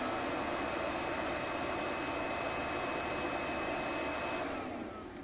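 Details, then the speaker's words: Old thermal-printing Brother fax machine, unused about 7 years and recently repaired, used as a printer: soft steady whirring hum with faint high tone winding down as the fuser roller heats while sending; normal fuser warm-up. "you can hear the fuser heat it up"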